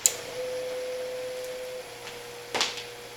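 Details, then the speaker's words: Fan motor on modified sine wave inverter power from a converted APC Smart UPS 1500, fan on low and on battery: it slows and makes a steady, fairly high horrible buzzing; the fan, not the inverter, makes it, as the motor wants a sine wave. "the fan slows down, and also it makes this horrible buzzing noise that you can probably hear on camera if I shut up for a moment. And that's not the inverter, that's the fan making that noise."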